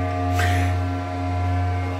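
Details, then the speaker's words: 1980 Williams Scorpion pinball with a new replacement sound board fitted: clear steady musical tones with a low bass note, no crackle or dropouts. Clean sound output. "we got the soundboard in and it's sounding really good"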